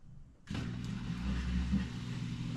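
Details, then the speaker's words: Frigidaire dishwasher that drained only about half the time, after a new drain pump (hose already cleaned), forced into drain mode: steady low hum, no rattle or grinding; pump working, fixed. "I can hear it, the pump working. All right, so I think we do got it fixed."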